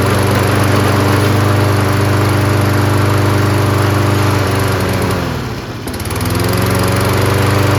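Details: Toro 22-inch Recycler mower with Kohler engine, new HIPA replacement carburetor fitted; smooth, steady drone dips briefly around five seconds and recovers cleanly. Normal running.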